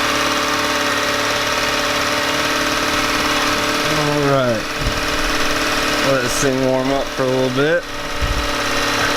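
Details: Yamaha 9.9hp outboard warming up after replacing a cracked, dried-out carburetor diaphragm that had caused heavy gas leaking; steady hum with a few quick rev dips and recoveries, runs clean, no more leaking.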